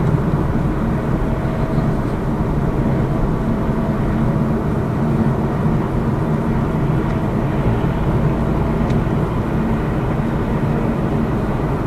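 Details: Lada Vesta Cross with AMT 2.0 robot gearbox, fully loaded, driving on rough road; head-mounted action camera. Steady road and engine hum, no knocks or clunks over bumps; suspension normal after shock absorber strut replacement fixed the knock.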